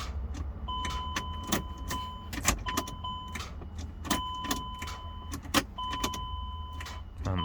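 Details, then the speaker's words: Chrysler Pacifica, code P0706, intermittent no-start: sharp single starter clicks about every second under a dash chime with no cranking; fuses checked; voltage reads 14 to 15 depending on ground point, pointing to a poor engine ground. "Chrysler Pacifica it's not starting it it's starting but sometime and strange and just normally starter mix click click click sound when you try to starting"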